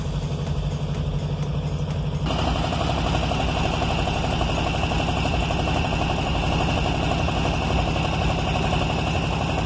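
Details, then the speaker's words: A VW Beetle (vocho) that would not start, after cleaning and reconnecting its wiring, with the ignition switch used only to crank: quiet two seconds, then it catches into a steady, even idle. "la llave solamente la voy a ocupar para dar marcha y arrancó"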